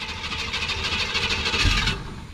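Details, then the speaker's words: Abandoned 1965 Ford Ranchero 4x4: starter cranks with rhythmic, uneven puffs that never catch, after it had idled earlier; owner suspects coil needs rebuild — cranking without starting. "I was hoping it was going to bust right off it wants to it's trying"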